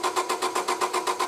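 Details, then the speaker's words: 1999 Honda Civic 1.6 VTEC SOHC, crank no-start with the distributor cap off: steady starter cranking at roughly eight even pulses a second and the engine never catches. No spark to the plugs from a failed ignition coil. "I have no spark going to the spark plugs so it took the silver cap off crank the motor"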